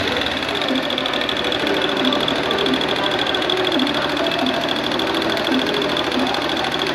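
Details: Honda Bros 160 motorcycle engine running with a fast, even, light clatter like a sewing machine; strange mechanical engine noise, cause not identified by ear.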